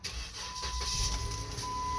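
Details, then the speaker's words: 2012 Jeep Wrangler 3.6 V6 after fixing a driver-side exhaust leak at the crossover pipe flange (rotted bolts) with split flanges and long bolts: engine starts and idles evenly, no puffing or ticking at the flange; quiet, sealed exhaust. "all right nice and quiet no more leaks"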